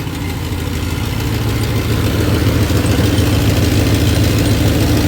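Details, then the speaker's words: 1993 Dodge Ram D150 with Magnum 5.9 360 V8, which had died while running and was being checked before parting out: even, steady low idle with smooth regular pulse, no knocks or misses, warming until thermostat opens at 195; sounds perfect. "do, pero la máquina se oye para mí perfecta."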